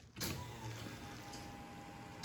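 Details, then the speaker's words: Factory Five Mk4 Cobra replica, systems powered up before first start, ECU relay outputs rewired: at key-on a steady electric hum for about two seconds then clean cutoff; fuel pump priming normally. "you hear that was the fuel pump doing a prime"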